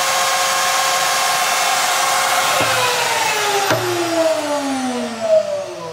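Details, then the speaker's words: 2005 Hoffmann MU2 dovetail key machine, 110 V single phase, low use: smooth steady high spindle whine then even falling pitch on coast-down, no rumble or grinding; bearings sound like new. "I'm going to run it for an extended period now so you can hear the bearings they're just it pretty much runs as new"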